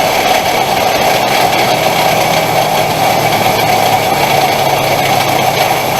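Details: 2000 Ford F150 4.2 V6 idles with a harsh rough rattling clatter from the front belt area; the alternator was suspected, but the cause was a failed idler pulley bearing.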